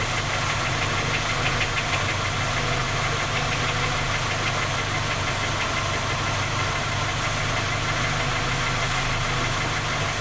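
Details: Skoda Octavia A5 facelift 1.6 MPI, cold idle: fast, uneven metallic knock roughly three per second over a steady hum, from inside the engine. Three repairs done, fault not found, still knocks.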